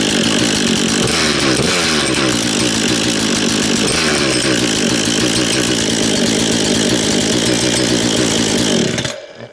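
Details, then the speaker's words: Husqvarna 236 two-stroke chainsaw, reassembled after previous owner dismantled it when chain stuck in a log: running hard with raspy high buzz, steady beat holding revs, clean cut-out; good compression, healthy. "Oh gosh, it's got compression, tell you that. Definitely got compression. Tell you what, it sounds like a little motorbike. Sounds like a little dirt bike, that does, doesn't it?"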